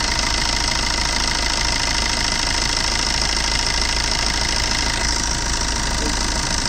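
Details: Maruti Suzuki Swift VDI diesel idling: steady clatter with a repeating knock about three times a second over the usual rattle; engine noise, cause unclear.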